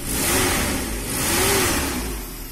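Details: Nissan Hiace van being checked for a misfire and ticking noise: two smooth throttle blips rise and fall cleanly, with no ticking or stumble, settling back evenly; engine revving.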